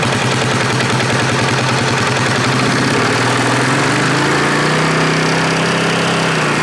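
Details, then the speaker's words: 2018 Polaris Sportsman ACE 570 after rebuild following mud flooding, warm, run through fan cycles with revs slowly up and down: even single-cylinder thump, no knocking; everything seems fine, water still dripping out. "That was three fan cycles. Everything seems fine so far."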